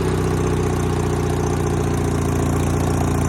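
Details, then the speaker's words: Sears GT 19.9 garden tractor, big-block engine, just started after sitting about 2 years, choke not cooperating: steady, slow, lazy thudding idle that doesn't pick up; idle is too slow. "Idling now. Yeah. Oh my goodness. Oh, I thought it was barely quite slow."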